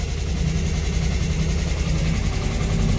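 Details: 1964 Chevrolet Corvair, after cylinder head reinstall with new rings, warming up: loud raspy slightly uneven low putter at idle like a lawnmower; owner suspects exhaust leak, not confirmed, tightened exhaust pipe bolts.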